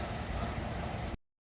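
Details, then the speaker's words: 1969 Chevrolet Camaro SS style with 454 cid big-block Chevy V8: deep, even low rumble running steadily about a second before cutting off; healthy idle. "go underneath the hood get this big block Chevy fire it up for you and let you hear what that 454 cubic inch motor sounds like"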